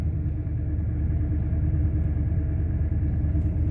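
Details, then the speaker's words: 2003 Ford Expedition 5.4L V8 after idle air control valve replacement, restarted and idling smoothly at about 800 rpm, previously stuck at 2000 rpm with no-start and shifting problems. "so i'm gonna shut it off it's idle and nice it's about 800 rpms"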